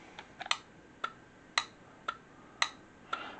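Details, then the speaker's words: Automotive relay in a Temu relay tester, button pressed to cycle it: crisp, evenly spaced clicks about twice a second, clean and consistent; relay passed the test, switching normally. "let it click through. And that relay passed the test."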